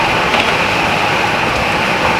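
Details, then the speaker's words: Apparently new natural-gas furnace in an abandoned home, first successful firing: steady, soft airy rush with faint constant hum, no rattles or scraping; the blower runs whisper quiet and evenly; filters spotless. "Whisper quiet. I can barely hear it, which is the key. Yeah, super quiet."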